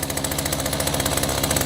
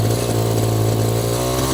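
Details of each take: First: Echo GT-200 two-stroke string trimmer with aftermarket carburetor, after repair: fast, buzzy, even pulses about sixteen per second, idling too high so the trimmer head keeps spinning; high idle needs lowering. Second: Echo GT-200i string trimmer, after further half-turn adjustments of the carburetor: small two-stroke holds a steady, even buzz with no stumbling or dying; running properly, carb may need a bit more tweaking.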